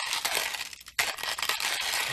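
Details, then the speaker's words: Manual ceramic-burr hand coffee grinder: steady, crisp crunching of beans over about a minute, with brief pauses between turns, no squeal or scrape; grinding normally and easier than expected. "Sounds like a normal grinding sound. Um so, it's not that hard. I was expecting a little bit more more effort to grind through it."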